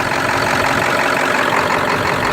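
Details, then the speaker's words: 1999 Ford F-250 7.3 diesel at idle: steady, dense clatter with no lope or shake while the feeder valve is held open; it runs rough and shakes when closed, cause unknown. "I got a problem. This thing is running rough, and the thing is, when I open the feeder valve, see, it's not shaking"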